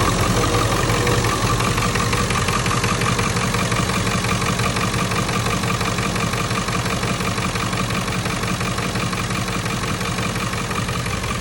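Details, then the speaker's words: 1997 Ford F-350 7.3L Powerstroke diesel, 164,000 miles, after replacing the alternator to cure a knocking chatter: steady, even idle with a smooth low rumble and no chatter or knock; normal idle. "already got the new alternator installed as you can see that's a lot quieter"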